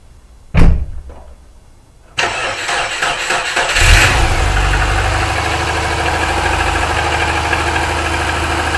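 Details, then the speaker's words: Subaru Impreza wagon, SOHC EJ257 hybrid (STI block, new pistons), turbo: sluggish, labouring crank under two seconds before catching to idle; slow cranking, borderline battery suspected, worse expected in cold weather. "so I don't know if you can hear how slow cranking that the starter motor was but I mean that that battery so borderline"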